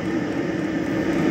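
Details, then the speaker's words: Diesel cabin heater on temporary tank and 12 V battery supply, warming up after sitting outdoors over a year and a diesel leak check: steady, even jet-like roar with no surging, popping or misfire; normal running. "Well, it sounds like a jet engine taking off. Which is exactly what it should sound like, and that now,"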